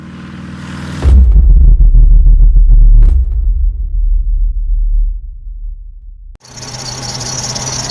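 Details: 2008 VW Jetta running rough at idle with an uneven, lumpy pulse about three times a second; misfire traced to cylinder 2 after new spark plugs, coils rechecked and a compression test; faulty fuel injector.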